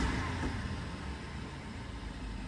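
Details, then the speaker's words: BMW 550i F10 N63 V8 after new spark plugs and ignition coils: revs rise and fall quickly with no delay or stumble, idle now steady without the former small rpm fluctuations. "can see how it goes up and down fairly quickly there's no delay"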